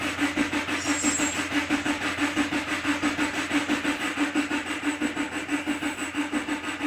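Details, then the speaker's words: 2013 Subaru Impreza (FB20) after an oil change, cranked with the throttle floored so the injectors don't fire, priming oil at low speed; even cranking pulses without firing, as expected, before the oil light goes out. "So on this car, if you put your foot to the floor and crank it, it won't fire the... Copyright. It won't fire the injectors. That way we can prime it at low speeds like that."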